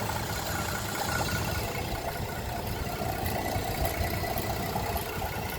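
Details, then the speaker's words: 2010 Chevrolet Traverse just after timing chain replacement, not fully reassembled, AC on, no check engine light or codes: idle uneven and lumpy, low rumble wavering. "She's idling like poop. Let me turn off this AC. Forgot how idle's bouncing around."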